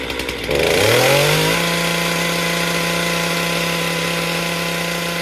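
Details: Stihl MS462 chainsaw fired up outside after service and air filter cleaning, before resetting its calibration: catches, revs climb for a second, then settles into a steady, even hum with no misses; healthy and running clean.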